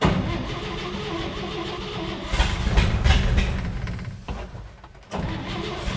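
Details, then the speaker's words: 1958 Chevy Apache, replacement used motor started on a carburetor primed with too much fuel: brief cranking, then it catches and runs rough, dips nearly to stalling and picks back up. "told you it runs I think I got too much fuel in there though"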